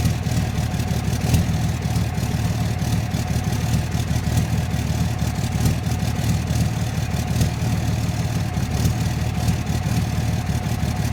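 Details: 2006 Dodge Cummins diesel at idle: deep idle with a sharp, slightly uneven tick on top; rough idle with ticking, owner suspects bad injectors, not confirmed.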